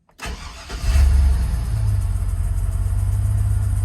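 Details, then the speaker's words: GMC/Chevrolet 1500 pickup on jack stands after fuel pump replacement: cranks briefly, catches cleanly and settles into a steady, even idle with no stumble or misfire; normal start, running better than before the repair. "Hey. Sounds better to me. Hey, wasn't doing that before, y'all."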